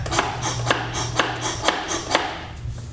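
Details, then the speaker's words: 2008 Honda CRF450R, newly rebuilt engine, rolled by hand after seeming to lock up: sharp metallic tick about twice a second, turns backwards but not forwards; something hitting, suspected in the valve train; noise also heard earlier while running. "so we've got something going on with our valve train then what it could be I don't know but we're hitting something can you hear that"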